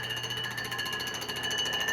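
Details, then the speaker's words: Machining the deck of a Honda K-series block for a pinned deck conversion: high squealing tones with fast, even pulsing, major cutter chatter during surfacing, left a step; loose or chipped insert suspected, unconfirmed. "I wonder if my insert got loose like started moving cuz we started getting some major chatter"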